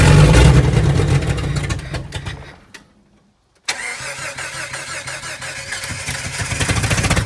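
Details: 1990s Jeep revived from a stripped state after fuel-system priming, previously would fire but not run: cranks and catches, dies briefly, then restarts into a steady, even idle with a regular low beat. Normal start and idle.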